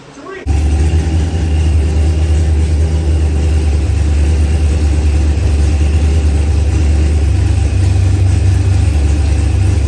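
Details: Newly built Procharged LS engine with a 12-1 crank trigger wheel that first had it stumped during cranking: even, settled V8 idle with a smooth pickup when blipped, no misfire, stumble or knock; it runs properly.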